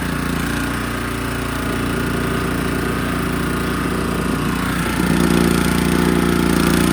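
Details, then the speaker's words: Honda GX160 engine on a compactor plate, after disassembly and reassembly: running steadily at about three firings a second with a faint light tick over it; cause unknown. "the engine still got a a little bit of a tick I think um well I'll just sell it as a as it is the engine maybe ticks a bit but it works"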